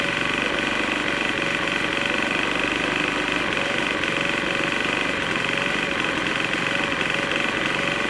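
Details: Troy-Bilt TB4HB EC leaf blower, unstarted 4–5 years, full choke, primed: high buzzy note with uneven stumbling beat instead of a steady drone, running rough. Breather loaded with oil; owner suspects compression leaking past rings, unconfirmed.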